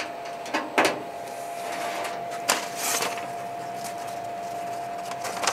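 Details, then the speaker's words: Masterbuilt Gravity Series 1050 charcoal smoker burning hardwood lump charcoal and oak chunks, brisket at 155°F: the control fan kicks on after the lid is opened to recover temperature. A steady mid-pitched hum with lid and handling knocks; normal fan running. "You can hear that fan kick on when you open it to get that temperature back up."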